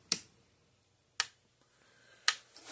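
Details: Zareba Blitzer 25-mile fence charger, bench-tested after repair for no output, before the leads are crimped on, about 12,000 V output: crisp, even ticks about once a second, the steady pulse of a working charger.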